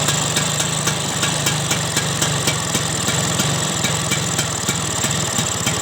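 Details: Vespa two-stroke scooter after carburettor service to cure snoring/rough running: it ticks over at a steady, even idle with a crisp buzzy exhaust and no hunting or stalling.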